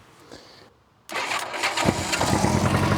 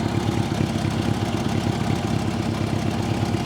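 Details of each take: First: Old Honda Gold Wing with good battery and starter and an unseized engine. With the fuel turned on, the starter is shorted with a screwdriver: a click, then it catches at once into a busy idle. The start switch is suspected faulty, and petrol is leaking. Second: Old Honda Gold Wing idling after its starter was bypassed with a screwdriver: even, quick pulsing idle with no misfires or knocks. The start switch is suspected; the carbs leak petrol and probably need cleaning.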